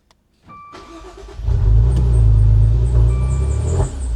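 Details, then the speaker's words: Maserati Ghibli almost fully submerged in a Florida hurricane, first start attempts: cranks, catches and runs about two seconds, then dies with or without throttle; a security light is being checked as a cause, not confirmed. "art it and you got your foot on the throttle she'll rev yeah and then it'll immediately die and if you take your foot off the throttle bet does the exact same thing after about two seconds"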